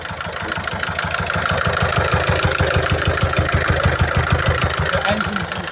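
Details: 2012 Peugeot Partner B9 1.6 HDi 75 HP diesel, almost 216,000 miles, with a heavy oil leak when running and smoke from the oil cap. At idle a heavy, regular knock about three times a second rides over the clatter. Knock later resolved after oil topped up; source not pinned down.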